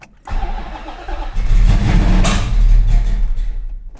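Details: 1968 Dodge Charger V8 after a rear fuel leak repair: starter cranks at a steady quick chug of about four beats a second but it never fires, as no fuel has reached the carburettor yet.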